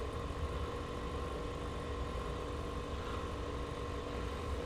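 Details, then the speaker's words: Marantz 2500 receiver, powered up through a series dim-bulb tester: its fan runs at constant full speed with a steady whir and hum, and the unit does not come out of protect or soft-start. "so let's try it okay here comes our fan full speed"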